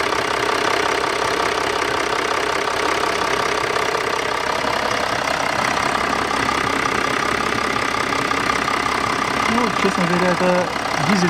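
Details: 2014 Range Rover Sport 3.0 diesel after fuel filter replacement (MAHLE KL-1044) and priming by cycling ignition five times: starts and holds a steady, even diesel clatter at idle with no hunting or stumbling; fuel delivery fine.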